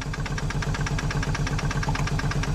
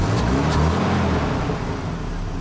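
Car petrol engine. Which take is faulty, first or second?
first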